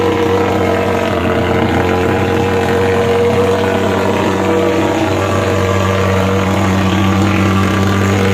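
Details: Superhawk (American) pulse-jet fogging machine after starting (lever up, fuel pressed, starter pumped); loud steady roaring drone with a fixed buzzing tone throughout; firing cleanly, normal running.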